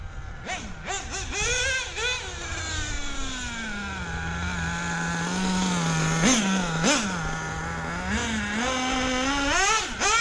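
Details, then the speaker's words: Hobao VS2 nitro buggy at about 42°F after high-end carb adjustment and carb tightened down: crisp revs from low idle, sharp rise and fall on each blip, clean low-end response, much improved. Healthy throttle response. "yeah that's definitely definitely good now 300% better than what it was"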